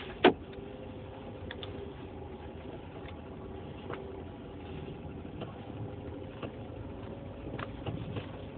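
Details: Citroen C3 Picasso driving: sharp, irregular knocks every second or so over soft road noise; worn stabiliser (sway bar) links, replacement takes about 15 minutes.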